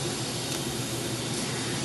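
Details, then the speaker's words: Goodman 2-ton A/C with new compressor, suspected overcharged and low on freon, indoor coil: steady rushing hiss; explanation given is oil purged during charging hitting the orifice, owner doubts it. Cause unconfirmed. "this sound is that while releasing the gas and charging it, it purged a good amount of oil or it shot some oil out of the compressor into the refrigerant line. And this noise is the oil hitting the orifice inside here."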